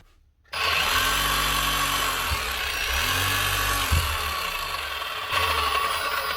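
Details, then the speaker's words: Metabo MHEV 5 BL brushless demolition hammer runs harsh and uneven, its speed sagging and recovering, from a broken connecting rod needle bearing; the customer also says the chisel won't lock in hammer mode. "it's running and it's hammering although that doesn't sound too healthy"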